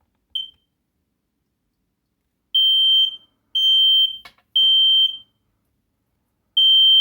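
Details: Home smoke alarm test: loud high-pitched beeps in a repeating test pattern, clean and strong with no chirp or weak tone; sounder working normally.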